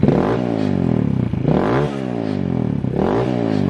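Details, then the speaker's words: Kawasaki KLX170 (HadesOmega spec) after a 24-hour endurance race, revved: on a quick throttle opening revs sweep up then sag and choke out instead of climbing cleanly, fine when rolled on gently; owner runs it rich; bog on snap throttle. "so there's a little bog there's a bog if you get on the throttle too much see if I get on it really fast it chokes it out"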